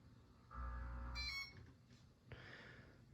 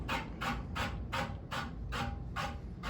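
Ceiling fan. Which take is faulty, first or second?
second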